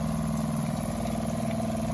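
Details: Newly installed Seaflo 33 series RV water pump, just self-primed after replacing a Shurflo 2088: a steady low hum with an even buzzing pulse and no rattle or surging, then a clean shutoff; normal pump running.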